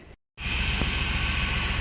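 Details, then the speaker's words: 2002 Chevy Impala LS 3.8 started after a starter replacement: the idle is rough, uneven and lumpy, and the engine shakes badly from a misfire, with the check engine light flashing and coolant and oil leaks noted. "all right we started but we definitely have a misfire this thing is is shaking pretty bad"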